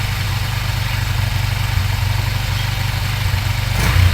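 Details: Motorcycle after clogged, broken fuel petcock repaired, which had stopped it starting; steady, even low thumping idle about four beats a second with no stumbles, a healthy settled single-cylinder idle.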